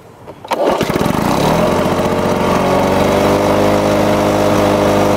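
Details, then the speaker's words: Lawn-Boy two-stroke mower after air vane governor install, started on low speed: catches after brief pull, steady even buzz roughly 75-100 rpm fast; governor holding speed normally. "there we go some people might think that's a little bit um running a little bit too fast subtly running maybe uh 75 to 100 rpms a little too fast"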